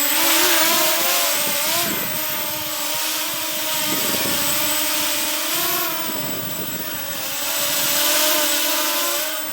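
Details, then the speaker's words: XK X252 quadcopter after props balanced and frame tightened with zip ties, flying inverted in 3D mode up to 100% throttle: motors buzz with a clean steady whine bending with throttle, no shudder. Smooth running, vibration fixed. "And I found that it doesn't do the vibration at all."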